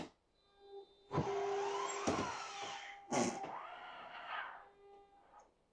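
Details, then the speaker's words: RV Schwintek slide-out, two motors synced by Hall effect sensors counting revolutions: two separate bursts of electric motor whir, one motor then the other, as the slide is pushed in and held 3–5 seconds to re-sync the uneven slide; normal re-sync. "You'll hear one motor slide, and then you hear the other motor. The trick is to hold it 3 to 5 seconds, let it go."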